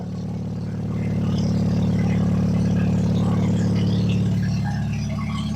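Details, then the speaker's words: Plymouth Sundance after fresh tune-up, timing belt and water pump: loud exhaust but engine revs and settles evenly with no cutting out, which it did before; some vacuum leaks still remain. "And with our fresh tune-up, let's hear it come to life. Loud but smooth."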